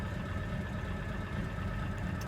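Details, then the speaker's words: 1967 Chevrolet Chevelle SS big block with timing gear instead of chain, so some whine is expected; steady, even low idle rumble without misses, knocks or rising whine, idling nicely before test drive. "We're idling real nicely. We'll keep an eye on our test temp gauge, and let's take it for a little test drive to see how she runs."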